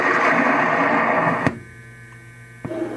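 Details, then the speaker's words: LAI Games Lighthouse redemption machine: steady fixed-pitch buzzing hum through the speaker, dropping away and returning; suspected noisy amplifier board (recap planned) or faulty volume potentiometer, not confirmed. Speaker hum. "and there's seems to be a little bit of feedback through the speaker."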